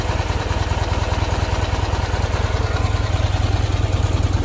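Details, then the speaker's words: 1973 Ural M-66 motorcycle, 6-volt with points ignition, twin exhausts, 948 km, idling: soft, even thumping with only intake and exhaust sound, no knocks, rattles, generator or gearbox noise. Healthy boxer-twin idle. "вот он звучок в принципе не слышно ничего кроме звука сосо воздуха и выхлопа абсолютная тишина"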